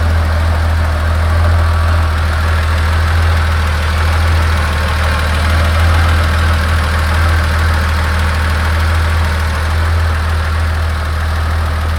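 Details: 1986 Porsche 911 3.2L at hot idle: steady deep idle with faint quick tapping about four per second from the upper engine sides; source uncertain.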